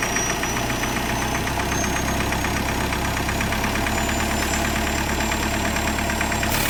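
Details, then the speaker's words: Mahindra Scorpio mHawk diesel at idle: sharp, uneven kat-kat knocking about three a second after EGR valve pipe removed; extra air/oxygen on cylinder 2 affects combustion, sound stops with EGR or turbo adjustment. "और यही सोचा होगा किसी ने ये piston नीचे गिरा करो स्टार्ट लेकिन अब इंजन में से cut cut cut cut sound आना चालू हो"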